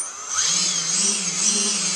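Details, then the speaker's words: Multiwii 3D quadcopter after ESC calibration fix, throttle limits set to 1064 and 1860: armed, throttle past halfway, smooth clean whine rising as motors spin up with no stutter, clicking when switching forward/reverse; motors now spin up normally. "forward and you can hear it Go reverse in Reverse so hopefully you can see that that noise is the clicking over the two different speeds"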